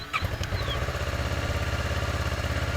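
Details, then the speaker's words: Motorcycle in neutral during a starter solenoid voltage test: a brief starter whirr, then the engine catches quickly and settles into a steady, even idle. It starts normally. "and there she goes that's that's as expected"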